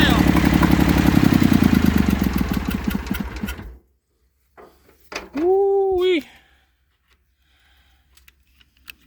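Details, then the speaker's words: Massey Ferguson 35 three-cylinder diesel, seized 20+ years in the woods, tow-started in third gear high after the starter failed; it fired after about 300 yards of building compression and heat. Chugs at an uneven fast idle, then shuts off: running, rough but alive. "It took it about, I don't know, 300 yards to build up enough compression and heat. And it finally started popping off."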